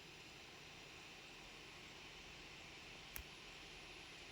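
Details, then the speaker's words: Dell laptop fan after cleaning and motor servicing, previously making an irritating noise for a month and giving a fan error: faint even airy hush with one small click, no rattle or buzz; now quiet and smooth, hardware scan passes. "You can see now fan is not making any noise. It's working very smoothly."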